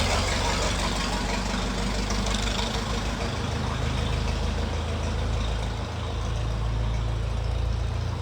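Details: Restored 1921 American LaFrance fire engine driven down the street; deep, steady low rumble holding even throughout with no knocks or misses; normal running.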